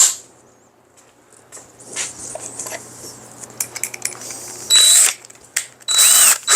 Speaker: Chips are flying now. There it is. And see how the drill bit just kissed it.